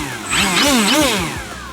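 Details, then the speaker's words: Flex Twin Otter 80E RC plane after replacing the failing Penza motors with the Dual Sky motor upgrade: clean electric whine rising and falling smoothly with throttle, no rattle; healthy brushless motor run. "Improvement that's how a motor is supposed to sound"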